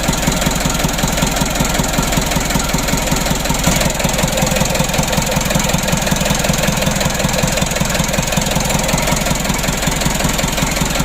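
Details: Mitsubishi Canter 136 PS HDL diesel engine, overhauled and rebuilt after overheating, first start: even, steady diesel clatter at idle with a regular beat and no misses or odd knocks; running smoothly and healthy.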